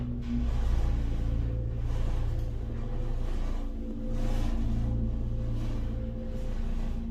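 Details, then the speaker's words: Hydraulic elevator originally by Burlington (brand possibly Mainco, Epco CircleLine fixtures), heard from inside the car travelling up: loud pump hum with droning tones that gets louder when levelling; rougher and noisier than before; abnormal running noise. "And it somehow gets louder when leveling. Yeah, Bloomingdale's Macy's ain't fix your elevator."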